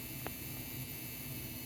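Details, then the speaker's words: Brand-new Corsair RM1000x PC power supply, damaged after a FurMark run on an RTX 4070 Ti: steady loud coil-whine buzz with faint hiss and two small clicks, before shutting down; replacing the PSU fixed it. "started so let's see and that the crazy noise that's coming from the PCU right here it's a crazy coil line"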